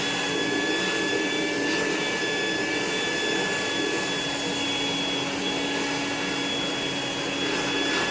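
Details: Rainbow E2 Gold two-speed vacuum after rebuild: motor parts disassembled and washed, lower motor bearing repacked, new HEPA filter, belt and brush roll; steady even motor roar with high whine, no rattle or grind, running perfectly.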